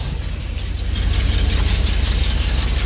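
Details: Deep, even V8 rumble through newly fitted exhaust headers on a truck, steady at idle with no chugging or stumbling; sounds healthy.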